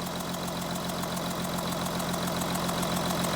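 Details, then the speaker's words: Audi Q7 3.0L diesel after coding injector IDs into the engine computer: rough idle with an uneven shake and a lumpy beat of about three or four a second. The misfire followed the faulty injector to cylinder 1. "so after riding the injector ID in the engine computer the engine is shaking"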